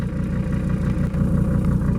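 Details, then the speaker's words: 1979 or 1980 Mercedes-Benz 300 SD diesel, scrapyard car, after fuel filter and oil change: even idle with a low chug and some clatter, no missing, though very vibratory (owner wonders about bad engine mounts); normal idle. "Will it idle? Ooh, it's very vibraty. Wonder if it's got bad engine mounts or something. It smells like it hasn't ran since Jesus walked the earth. And she's actually running pretty smooth, man. Not even missing."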